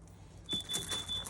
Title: Stop the beeping from your camper carbon monoxide detector due to low battery!